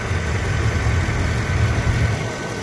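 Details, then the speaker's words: 2009 Mercedes S550 4Matic W221 idling after replacing the upper idler pulley that was chirping and squeaking: steady, low, even idle with no chirp over it. Normal idle, belt drive healthy after the repair. "i was making that turkey noise this is the after and it is running smooth"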